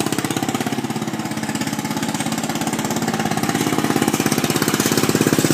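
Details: Homemade Murray mudding mower started for a test drive before the muffler was fitted: loud, crisp, even open-pipe exhaust popping about three per second, picking up slightly; healthy single running cleanly.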